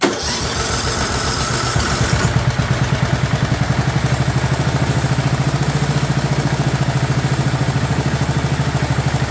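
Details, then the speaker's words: 2004 Murray 12.5 HP lawn tractor, warm, after fixing a sticky choke linkage that flooded it and adjusting the carburetor: catches and settles into a steady, even low idle with no stumbling; running properly. "I just want you to hear it running properly instead of running all choked out so we started it's all warm"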